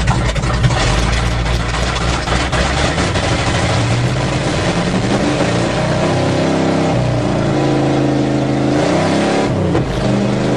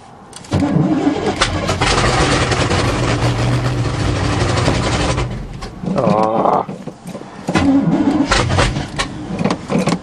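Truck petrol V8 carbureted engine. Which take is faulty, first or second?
second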